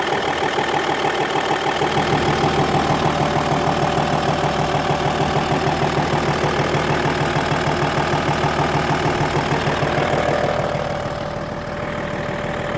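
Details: Audi A6 C5 2.5 TDI diesel at a steady idle with a fast, even tapping of about three per second over the engine note; engine knocking at idle, source not pinned down.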